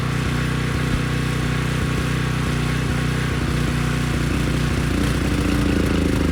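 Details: Briggs & Stratton Storm Responder generator after a dirty carburetor was cleaned: a steady, even low thump at constant speed with no misses or surges; it starts right up and handles a 3000-watt load, running healthy.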